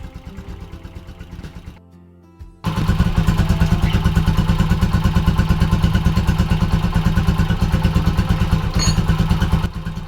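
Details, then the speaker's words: Nearly new pushrod-engine motorcycle (Raider 150 tags) on Delo Gold oil after a long ride to Caliraya: steady fast beat about three pulses a second with light top-end tapping; rider says the ticking remains, cause unconfirmed. "Para sa akin may lagatik pa rin siya and hindi nawala yung lagatik niya. Partida bago pa tong motor na to pero may lagatik pa rin."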